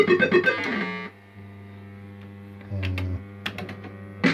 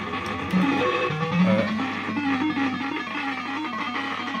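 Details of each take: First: System80 pinball machine, a good machine next to one with a suspected failing sound chip: clear, crisp jingle tones with clean note starts and no crackle, buzz or dropouts; this is how the sound board should sound. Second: System80 gaming machine, warmed up after running a while: tune plays thin and crackly with some notes dropping out; owner suspects one voice of the socketed 3-voice sound chip has gone.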